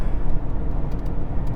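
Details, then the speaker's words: Mercedes S600 V12 (rated 362 hp, cheap Copart car) on the road at full throttle to redline, about 30 to 90 mph: low, even, smooth engine roar with road and wind noise, no knocks or misfires; healthy. "that was nice all right well first impressions i love it the power whoa it is smooth we had it redlined we we were like i don't know 30 to 90 just like that"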